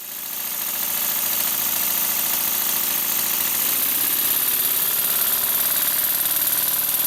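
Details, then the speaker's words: Model steam engine on compressed air after the slide valve fix, running fast, with bolts instead of pins in the valve gear: fast even exhaust beat over an airy hiss, no stumbles, runs well. "it really does run surprisingly well for what it is"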